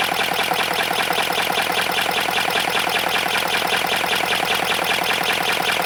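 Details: 3D-printed 412cc V8 made of ASA (an earlier PLA version's crank bearings melted and seized): fast, even, dry clatter over a thin engine note, dry running noise; lubrication suspected, not confirmed, before engine oil went into the intake.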